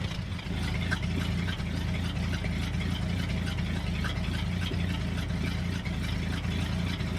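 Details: 1966 Ford F250 carbureted V8, cold after a cold night, idling after the fuel tank reinstall: a deep, steady rumble at an even idle with no stumbles or dropouts. It runs cleanly on fresh fuel with no leaks, and the exhaust steam is probably condensation.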